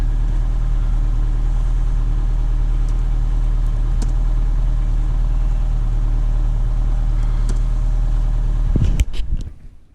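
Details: Daewoo Sens, diagnostics show no fault codes: smooth, even low idle with a steady beat, no knocking or ticking, until shut off; healthy running.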